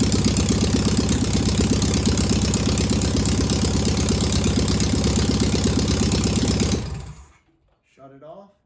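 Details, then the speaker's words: Single-port engine tested on the stand with a starter solenoid hookup, checking whether it will run: fired right up with no smoke or leaks, then a steady, even firing rhythm with no misses or knocks before shutdown; normal running. "not too bad that's a good running engine right there that's got a lot of good a lot of good positive things to it that's great that fired right up didn't smoke nice"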